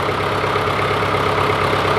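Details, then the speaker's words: John Deere 410C backhoe in winter after sitting for months, with the battery terminals cleaned: steady, even diesel clatter at warm-up idle with no misses or knocks. Normal idle. "warm-up for a few minutes let it blow out all the other here at working a little bit might bump up the idle just a touch yeah this is a good day here"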